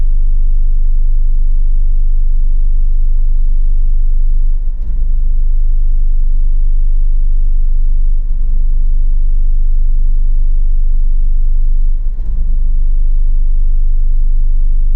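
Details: Hyundai Tiburon idling in Drive or Reverse: a low idle that sags and stumbles, rpm dropping below 550 under load when the AC compressor kicks in, smooth above 2000 rpm; fixed by replacing the spark plug cable.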